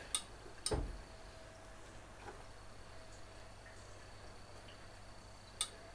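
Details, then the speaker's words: 1969 Mustang that sat 15 years, engine warm during cooling system work: a few sharp isolated clicks seconds apart as the fan temperature switch snaps over normally; probe fine, fault suspected between control wire and relay. "So it's clicking like it should when it's warm. So my probe is right."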